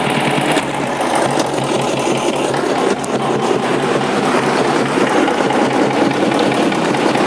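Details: 1956 BSA BB31 single-cylinder motorcycle, started by hand: steady, even idle with a light regular mechanical tick, no knocks or misses; healthy running.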